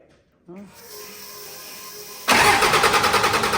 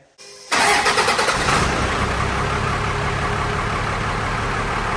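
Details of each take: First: The '41 diesel cranking while the injection pump lines are cracked open to bleed air, to be closed one by one once fuel appears. The starter churns at about three beats a second and never catches; air in the pump keeps fuel from the injectors. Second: The '41 diesel: brief crank, then it catches at once and settles into a steady, even clatter, revved near the end. Power steering fluid sprays out when revved; otherwise it runs fine.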